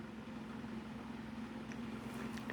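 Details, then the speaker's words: Mainstays 12-inch oscillating table fan on medium speed, grille bent; steady buzzy hum with rattly vibration noise louder than the fan itself. "it's loud on medium the vibration the fan is actually pretty quiet just the vibration is just oh Just Hear It going all wild"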